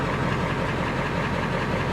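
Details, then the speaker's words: Old Ford manual-transmission tow truck at a Copart salvage auction, idling with brake light and service engine soon light on: short stretch of deep, steady rumble with no knock or miss. The AC works and the engine runs great at normal idle. "and the ac does work it does important window works i mean this thing would be great she runs great"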